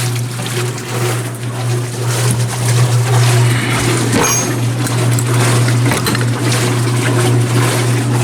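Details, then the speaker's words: Antique Maytag wringer washer after heavy maintenance including new seal, filled with water: low steady motor hum with irregular sloshing, agitating smoothly; working normally. "See what happens. It's gonna slosh everywhere. It's alive!"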